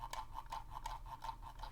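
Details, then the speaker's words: Corsair Katar XT mouse: the scroll wheel rattles with light, quick, loose ticks about six per second while scrolling, and has up-and-down play. "but the scroll wheel itself is just rattling you can kind of hear that"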